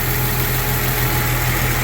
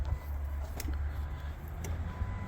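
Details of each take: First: 1999 Jeep Cherokee after engine rebuild, about 10 minutes into break-in run: even, quiet, steady idle with no knocks, ticks or misses; good oil pressure, crankcase vacuum now present (no blow-by), no leaks, coolant topped off. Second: 1999 Jeep Cherokee freshly rebuilt engine, first start attempt with battery dropping to 10-11 V: starter cranks steadily for several seconds, never fires; timing later flipped 180 degrees as suspected cause; crank no start.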